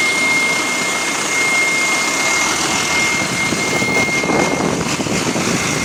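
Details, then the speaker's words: Bus GAL WVL416 running on route 486: a steady high whine like a small jet spooling, over the bus running sound. Source unknown. "I don't know why the [ __ ] it's making that noise wvl 416 now what the [ __ ] is that noise though"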